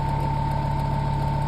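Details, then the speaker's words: Vintage 7-inch Zero desk fan model 1250R running on a table: steady motor hum with fine buzzing rattle underneath; rattle is the table vibrating, not the fan. "Now all that rattling that you guys are hearing is the table. It's not the fan, it's the table. I can kind of hear the vibration movements on the table."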